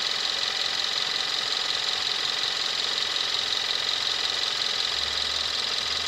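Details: 2017 Kia Rio 1.6L inline-4 GDI (gasoline direct injection), about 10,000 miles, just started and quieting down: fast, even ticking about three per second over a smooth settled idle; normal direct-injection tick, healthy engine.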